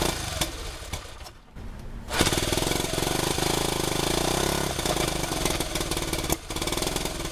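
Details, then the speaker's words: Rebuilt 1971 CT90 single after its carburetor jet was cleaned still runs choppy and uneven, stumbling and surging; ignition timing and valve clearance seem good, so a carburetor issue is suspected. "We got the bike to run. We have ignition timing and the valve clearance and everything internally on the engine seems good. I'm pretty sure that we're just having a carve issue."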